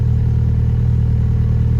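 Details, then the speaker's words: Acura RSX, manual, 128K miles, just after radiator replacement, coolant filled and air burped, warming up: even steady idle with no surging; runs good, only check engine light for cat exhaust. "so it seems to be idling good. Sometimes you get that idle surge. It's not surging, so that's good."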